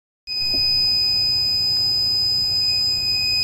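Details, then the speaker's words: Steady unbroken high-pitched buzzer from an APC Back-UPS ES 500 battery backup unit, warning that its battery has failed and needs replacing; owners often unplug it to stop the noise. "are you hearing that noise is that something that's happening to you well if you got one of these guys and you have just unplugged it from the wall just because you got tired of hearing that noise"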